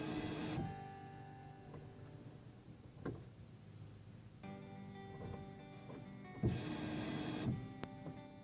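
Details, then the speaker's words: Reference sound from a good fuel pump on a Dodge Charger/Chrysler 300 type setup, with the camera on top of the tank and the key turned to run: a quiet, steady electric hum for a few seconds, then it stops; normal priming. "So let's go ahead and put the key in the run position, and you're gonna hear what the pump should sound like."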